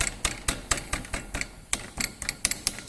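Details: Fiat Palio suspension: sharp bright knocks about four to five times a second, loose tapping rattle; suspension knock, cause suspected, not confirmed.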